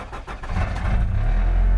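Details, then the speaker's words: 1994 Acura Integra, previously cranked without starting, after fuel pump replacement and plug reconnected: starter cranks briefly, engine fires cleanly and builds to a steady deep idle; starts and runs normally. "And it starts."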